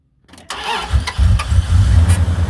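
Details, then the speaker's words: Truck with 11.8 V battery started using a BD20 5000A jump starter after clicking: short crank, catches first try and settles to steady idle; normal start, no hesitation. "Boom, right on the money. No hesitation whatsoever. I love it."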